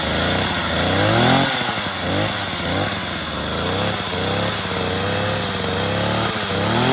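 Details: Tanaka THT210s hedge trimmer, previously a non-starter, after piston check and carburettor refurbishment, cold start on choke: small two-stroke buzzes and revs unevenly but keeps running cleanly without cutting out; healthy running.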